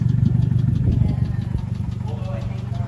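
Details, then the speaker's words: Mazda Miata at a drift event, idling after a track session: a steady knock at about four per second under the exhaust, earlier tick now turned to knock; rod knock, engine blown. "I think the day is over because it sounds like the little tick is now a knock I'm going to call it today"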